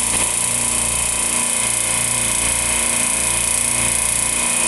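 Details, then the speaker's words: Refrigeration compressor locking out on oil, net oil pressure swinging 22 to 10: harsh rattly clatter with uneven low thump; something internal wearing, suspected bad bearings or worn oil pump, not confirmed. "all right so it's still making a little noise my net oil pressure is going between 22 and 10."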